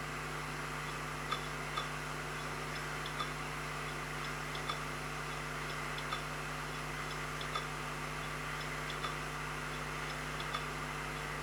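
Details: Seagate Barracuda 3TB hard drive that no longer fires up, on a SATA base: faint steady whir with sharp ticks about every second and a half, never spinning up properly; failing drive clicking.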